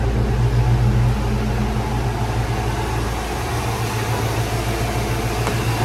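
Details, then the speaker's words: 1995 Ford Mustang GT after fuel pump and/or pressure regulator replacement: steady, even low rumble with no misses, knocks or ticks; starts and idles normally. "It starts up and idles good now. Now let's take it for a drive."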